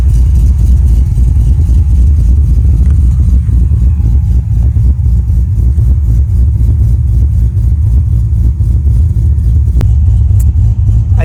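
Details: Wagon LS-swapped with a 6.0 V8, Texas Speed cam and 4L85 transmission: deep, steady rumble settling into an even idle with no misses, knocks or ticks; sounds healthy.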